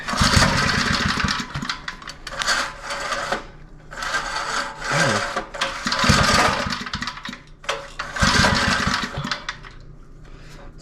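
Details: Small edger engine on restart, not wanting choke. Repeated short sputtering bursts that die back rather than catching. Hard starting; owner suspects a loose nut letting the idle mixture screw jiggle out, with possible fuel starvation.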